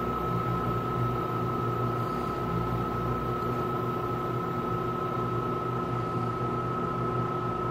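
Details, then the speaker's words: Tenney Lunaire TUJR temperature chamber, after reaching 200 degree set point, cooling back to 20 °C: both compressors on, steady hum with constant mid-pitch tone and fan-like hiss, running normally. "And as you can hear already, there goes the other one. Both refrigeration compressors have turned on, and now it'll bring it back down to room temperature."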